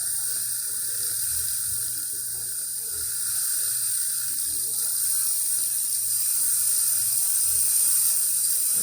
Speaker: it's going to push a little bit of water out first cuz it's heating up the thermal block rapidly and then the pump's going to slowly give water but not um not until not fully ramp up until um the thermal block is fully up to to as you can hear right